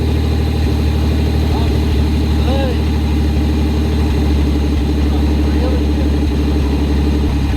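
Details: Pontiac Fiero barn find, engine torn down to the V and reassembled, first start after fixing a leaking fuel injector O-ring: steady, even low idle rumble with no misses, knocks or ticks; normal, healthy idle.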